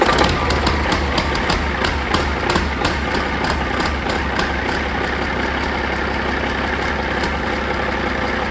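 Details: Caterpillar 3406E haul-truck diesel, rebuilt and re-engineered for a different application, first test run on the shop-floor stand after fuel priming with zero active codes: heavy chugging at a steady idle, even low rumble, no knock or miss; running fine.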